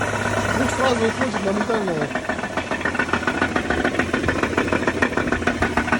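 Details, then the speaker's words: Mitsubishi Pajero: rapid, uneven knocking appears over idle when revs drop and vanishes as soon as throttle is applied; knock at low rpm, source unknown. "смотри оборот ниже ты падает звук проявляется газ даёшь звук уходит сразу"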